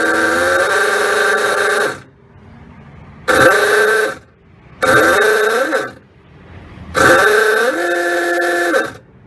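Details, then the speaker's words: Servi-Car 45 flathead trike that has sat unused: three short, flat honks with a wavering, strained tone well short of full volume; weak horn, and the owner suspects the battery needs charge. "sounds like the battery could use a little juice"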